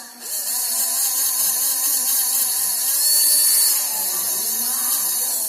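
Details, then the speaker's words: Homemade 12V mini hand drill, small DC motor wired to a battery, no chuck fitted yet: steady, even high-pitched whine holding constant speed, no rattle or stutter; motor runs healthy. "Đây, rất là ngon ha. Nghe tiếng rất là ghê đúng không?"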